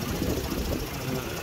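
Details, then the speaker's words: 2006 Mazda RX-8 rotary with hot-start trouble, owner suspects failing apex seals and low compression: warm idle with uneven lumpy throb that surges and dips; coil pack tests look similar, so any misfire seems not ignition-caused. "okay so you can hear the lumpiness that's fine the first lead"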